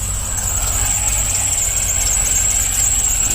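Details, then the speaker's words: Cadillac CTS-V supercharged, after a misfire on cylinder 7 caused by a spark plug wire grounding on the headers was repaired. On restart it runs okay, but a constant piercing belt squeal rides over the idle. The tensioner is suspected, unconfirmed. "well other than the belt squeal that's back again well she seems to be running okay"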